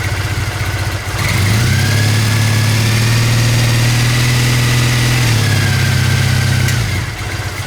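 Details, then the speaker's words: Old Triumph motorbike from a shed find, started cold with filthy exhausts and oil unchecked: catches and settles into a steady, slightly raised idle held up by the cold-start throttle advance, then drops back. Normal cold fast idle. "And there's that throttle advance that I was talking about earlier."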